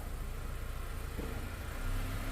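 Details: 2015 Honda Accord 2.4L just after starter replacement (Bosch SR1355X) for intermittent no-crank: quiet steady low idle with no misses, knocks or grinding while reversing; running normally.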